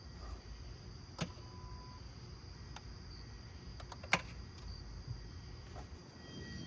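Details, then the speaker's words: 2014 Hyundai Sonata 2.0T, broke down on highway smoking with a burning-wire electrical smell: turning the key gives a single loud click with no cranking; starter never turns the engine. "So, it's basically just a loud click. Yeah. So, it's not really It's just clicking."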